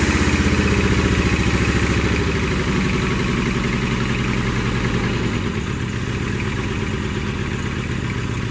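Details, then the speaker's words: 1982 Toyota SR5 Trekker 4x4 pickup: the engine runs on a held throttle, then sags and goes lumpy as revs ease, never settling into an idle; the problem began after the fuel filter was replaced, cause unconfirmed. "So, yeah, it's running all right. The throttle response is good. It's just it doesn't want to idle anymore."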